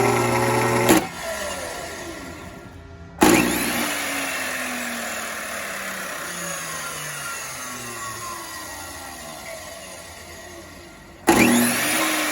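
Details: 20-year-old Bosch 4000 10-inch table saw motor wired directly to the switch line, bypassing the speed control board: snaps up to a high whine each power-up, then coasts down smoothly; motor is fine, control board seems to be the issue.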